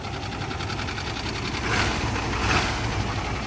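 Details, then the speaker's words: 1989 Chevy K1500 whose starter is failing intermittently, on first start: a V8 idle with a fast, light tick about three to four a second. Lifter tick suspected, but the seller doesn't think so; cause undetermined. "listen that first start got a little bit of a tick so that was kind of why we came to look at it"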